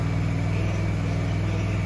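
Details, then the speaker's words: Old cabover truck diesel with replacement engine, running after 27 years: deep, steady, even idle rumble with no knocks or misses, oil pressure about 80 psi; normal diesel idle. "Dude, that freaking just rumbles your chest when you drive it up."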